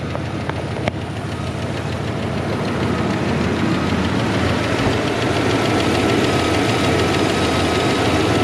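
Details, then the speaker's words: 1994 Dodge Dakota SLT V8 at idle after a long crank: quick steady lifter ticking tracking engine speed, cleared briefly then returning worse; no oil pressure reading or light despite new switch; oil starvation. "Now, I trust you can hear that lifter noise pretty well. It did actually calm down here for a second, but here in a little few minutes, it is going to pick back up and sound a little bit worse."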